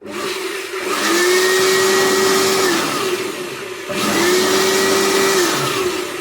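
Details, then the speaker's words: Air blower after repair with brushes refitted and one bearing replaced with an old used bearing: spins up into a steady rushing whine with a faint rough undertone; noise much reduced from the earlier jammed state but not fully solved; worn blower bearing noise. "दोस्तों इसका जो sound problem है वह पूरी तरह से हल नहीं हुआ है क्योंकि हमने एक बेरिंग को चेंज किया या एक पुरानी बेरिंग को लगाया है"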